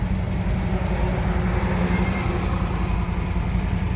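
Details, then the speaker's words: 2006 Jeep Commander 4.7L, code P0300, engine computer already replaced with same result, idle air being adjusted after stalling; low idle lurches and stumbles unevenly: bad misfire at idle. "but I feel like this car is missing bad"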